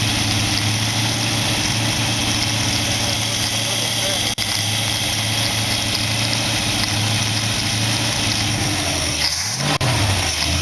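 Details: Dual-quad carbureted V8 in a 1914 vehicle build, after the carb's possibly plugged passages were cleaned because it had been puking fuel. Steady, even idle with a brief throttle blip that settles cleanly back. Air screws are affecting it and it is not pouring fuel. Normal idle.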